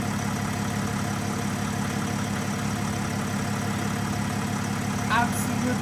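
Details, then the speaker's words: Nissan Navara V9X 3.0 dCi diesel after replacing the crankshaft pulley (harmonic balancer) that rattled on its metal sleeve with AC on: steady even idle, smooth low beat, no rattle or clicking with AC on; fixed. "no noise Zer Z zero noise made as you guys can see right now no more noise when the AC is on so fixed"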